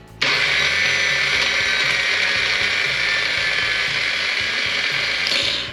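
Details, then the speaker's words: Old scooter that sat in the jungle, starter powered with fake key-on from battery after checking relay: high, fast electric whir spinning freely with no cranking beat; starter not engaging the engine. Starter spinning without engaging. "Starter's not engaging the motor. Maybe that's why there's a starter in the back of that thing."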